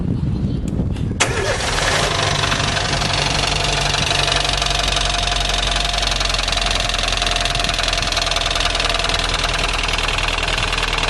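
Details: 2010/2011 Fiat Palio 1.4 8V Fire idles with a fast, regular tec-tec ticking that seems to come from the cylinder head area. The cause is unknown.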